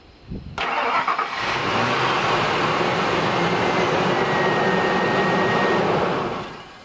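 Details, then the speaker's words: 2001 Ford Expedition 4.6L Triton V8 with the original Ford-programmed chip key, after the light goes off. The engine catches promptly after a short crank and settles into a steady, even idle; it starts normally. "this is what it's properly supposed to do when you plug it in turn it over one two three that light goes off and then you're able to start the vehicle no problem no harm no foul"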